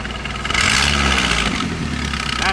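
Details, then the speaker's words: Chevy 2.2 four-cylinder after a cylinder head replacement, heard near where the EGR pipe enters the plastic intake under the throttle body: a loud raspy, puffing exhaust roar that swells with revs. It is loud when cold and quieter warm; the leak is suspected but not located. "wide open that's like a wide open Lake and when it gets warmed up it quiets down quite a bit when you start at cold that's loud as something is wide open and I cannot find it at all period"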